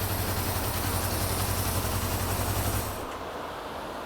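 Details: 1974 Honda CB550, warmed up, after static ignition timing and carburetor synchronization: an even, steady four-cylinder idle with regular pulses and no misses. Idle now adjusts smoothly, showing the carbs are synced.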